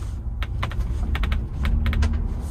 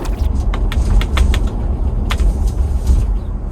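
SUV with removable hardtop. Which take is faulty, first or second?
first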